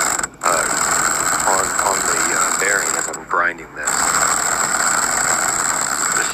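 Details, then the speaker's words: Budget 1200 W impact wrench pressing on a wheel hub bearing: rapid hammer clatter with a harsh metallic edge under load that briefly stalls mid-burst; grinding, struggling sound, cause unclear. "That sounded like struggling to me and it sound like it was about to break. I was worried it was going to break it. I don't know if my impact wrench is supposed to sound like this,"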